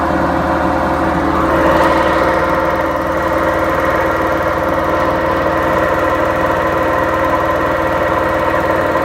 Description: My 7 year and 8 months old washing machine it’s bearings went bad so We will get a new washing machine soon:)